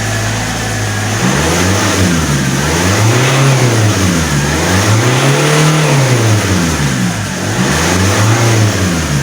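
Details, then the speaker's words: Alfa Romeo 156 1.9 JTD common-rail diesel, crank/hard-start fault: starts only with throttle, starter grinding, revs swinging every two seconds struggling to idle, improving as it warms; temperature or bad fuel suspected, fuel pressures not yet checked. "You have to start the car with some acceleration. You can hear the starter grinding away."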